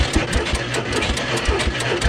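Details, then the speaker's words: Bombardier Snow-Cat plow parked for 10 years, exhaust manifold full of debris, with flame seen; uneven, lumpy firing with irregular chuffs and pops as it almost starts but won't run. "Alright guys, so it almost wants to start."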